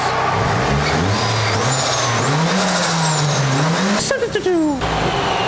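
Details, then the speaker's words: Nissan S14 with external wastegate, driving: clear rising turbo whistle climbing with each pull, sharp release on lift-off; turbo spools normally, though boost low and wastegate leak suspected. "it sounds proper it sounds really good but we need to let this thing cool off to get to the wastegate"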